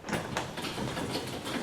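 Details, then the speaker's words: Garage door disengaged from opener, opened by hand after maintenance with spring pulleys lubricated with silicone: smooth rolling rumble with light rattles, no hinge squeak or creak; normal operation. "sounds good to me don't hear any um any uh hinges creaking or anything that sounds pretty fantastic if i'm honest"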